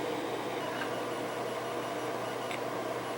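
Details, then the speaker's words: ReactiveMicro Phasor clone sound card in Apple IIgs, no disk drive running: steady hiss with faint low hum on speaker, electrical noise absent in IIe; builder suspects overdriven op-amp or wrong resistor values, unconfirmed. "that's not disk drive noise that's electrical noise coming over the speaker there's no disk drive connected just the floppy email"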